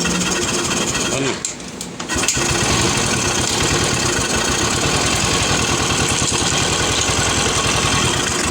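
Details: Royal Enfield UCE Electra (Bullet) single-cylinder first start after engine-noise repair, with head gasket, head, rocker arms, carburettor, silencer packing and bend pipe refitted: catches after a brief crank, settles to a steady even thump, no knocking; oil circulation perfect; healthy idle.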